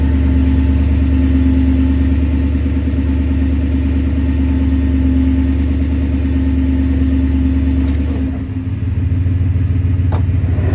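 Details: Grinding noise from a 2002 Toyota Tundra 2WD V8 at idle, only in park or first gear in drive: coarse, low grinding rumble under the steady hum, dipping briefly as the gear changes.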